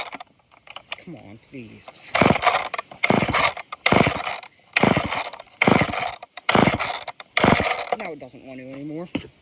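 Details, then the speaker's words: Old off-brand Canadian junkyard chainsaw: repeated rope pulls about one a second with ratcheting whir, never firing; cranks but won't start, owner suspects a dirty fuel filter stopping it pulling fuel. "Wonder if it's having a hard time pulling fuel. Maybe because of that filter being so dirty."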